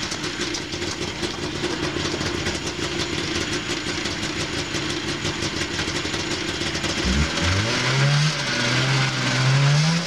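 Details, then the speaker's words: 1987 Yamaha Enticer snowmobile after a full carb and fuel system rebuild for a no-rev problem, first test; crisp two-stroke buzz at steady idle, then clean rising revs without stumbling; running good with lots of power. "running good lots of power"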